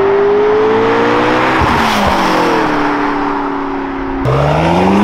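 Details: McLaren MP4-12C drive-by after repair of a knocking/thumping tick other shops said needed a new engine: loud V8 note sweeps down as it passes, then climbs on the next pull; clean, smooth, no ticking.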